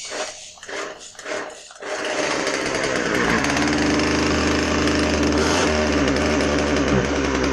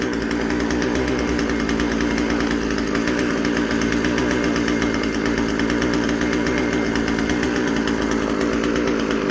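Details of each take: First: Husqvarna 136 chainsaw after carburetor rebuild, test run: after pull-start rips the two-stroke catches and holds a high buzzing run but won't stay running on the bottom end until low-speed jet is adjusted. Won't idle without carb adjustment. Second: Husqvarna 136 chainsaw after a carb rebuild for a rotten fuel line and dirt, with the high-speed jet tuned to the rich side. It holds a strong, even high-rev buzz with no surging, sputter or dropouts: normal running.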